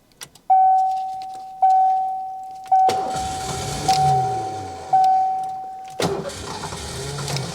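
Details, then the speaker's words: 1990 Ford Mustang GT 5.0 V8 barn find, sat about 30 years, trying viewer fixes with one injector unplugged: warning chime, then starter churns it over twice but it never fires; crank no start, immobilizer suspected. "Doesn't seem to be doing it, does it? [Laughter] >> Doesn't seem to be making a difference. >> It's not the magic bullet we wanted."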